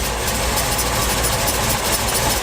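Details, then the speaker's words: Essex V6 pushrod engine with solid rockers in a Reliant Scimitar idling after rocker adjustment; quieter, but extra metallic clatter at the front from a tool left on the crank pulley. "That sounds quieter. There's a noise in there I've not heard before. What is that noise? It's at the front."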